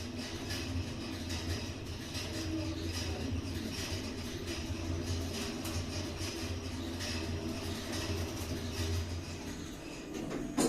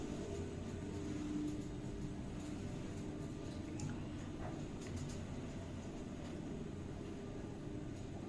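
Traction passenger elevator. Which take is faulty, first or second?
first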